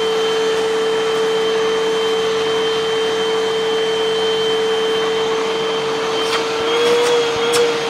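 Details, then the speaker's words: Hoover UH7103 upright vacuum running after the dirty filters were cleaned and refitted: strained, steady whistling tone that it shouldn't make, pointing to another clog restricting airflow lower down. "Okay. All right, so we have another clog. It shouldn't be making that noise. There's some restriction down in there, so there's probably more stuff in there."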